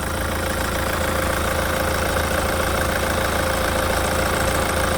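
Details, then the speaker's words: 2018 Hyundai Santa Fe The Prime at a South Korean car auction, under-hood inspection: smooth, steady idle with a faint constant hum and no ticks, knocks or rattles; engine runs evenly with no extraneous noise, turbo and engine dry. "то, что двигатель работает ровно, сторонних шумов мы здесь не слышим."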